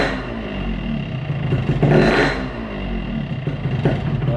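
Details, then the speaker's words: Yamaha RX-King two-stroke with a worn piston, before switching to a Riko piston: idle is normal, but as the throttle closes a loose dry rattle comes from the block. Piston slap on deceleration. "Jadi agak bunyi ker gitu kan pas turun gas gitu ya."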